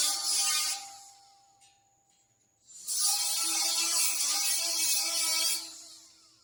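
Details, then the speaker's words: Harsh, uneven crackle and sputter in long bursts instead of a smooth sizzle while welding a trailer main frame repair; the arc spits and arcs out from thick paint, too little prep and a poor ground, before grinding the metal clean. "seems like I didn't prep it enough I'm going to go get the grinder I'm going to grind it something ain't right its spitting do you hear it arcing out and stuff?"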